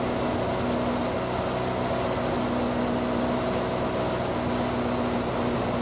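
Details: Triumph Spitfire, start after single-carb conversion and fuel line work, cold, full choke, in neutral: brisk, steady fast idle with an even beat and no hunting; running cleanly.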